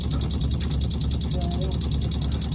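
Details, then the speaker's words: Mobilvetta motorhome at 1,512 miles, earlier recording of water pump running; harsh machine-gun chatter about ten knocks a second over deep rumble, vibrating the whole van; now not reproducible, fix uncertain; finding: water pump chatter. "I thought I was being shot at and the whole van vibrated as well it was quite a loud thing previously"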